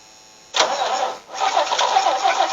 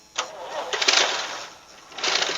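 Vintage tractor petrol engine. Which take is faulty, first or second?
first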